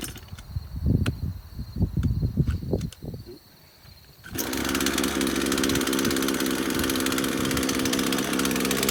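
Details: Craftsman chainsaw first start after about five years sitting in a shed: a few sputtering pulls, then a steady high buzzing idle; not picking up much fuel though primer bulb has fuel, only runs on choke.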